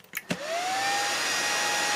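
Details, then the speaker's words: Chinese 24V 41.7A 1000W switching power supply, just plugged in with no load and 24 V output: its cooling fan spins up with a sharply rising whine to an extremely loud high-pitched whir, with relay clicking; a 12-volt fan run on 24 volts. "the phone is extremely loud it's a terrible fan and i also could hear it relay clicking"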